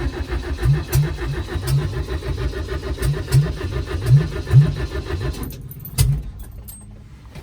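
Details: Toyota 20R being reassembled, ignition on and fuel pump delivering pressure: steady starter churning about five seconds with no firing or catch; cranks, no start. Owner suspects the electric choke wire is unhooked.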